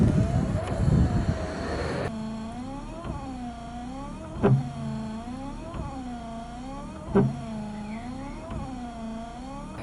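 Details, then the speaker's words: Volvo 940 estate (945) rear wiper motor after tinkering, having previously been found with missing bolts: an even motor hum rising and dipping with each sweep, a soft thump at each reversal and no rattle; the rear wiper now runs much quieter. "and even the wiper now is much quieter somehow they must be happy"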